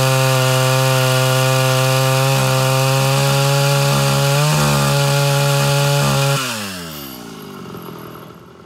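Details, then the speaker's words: Mildly ported Homelite Super XL Auto chainsaw with new loose chain, cutting during tuning: strong high revs in cut with slight burbling, rpm rising; still four-stroking, mixture a bit rich, going leaner. "you notice the rpms go up on that cut uh it's still four-stroking a little bit so we're gonna go a little leaner"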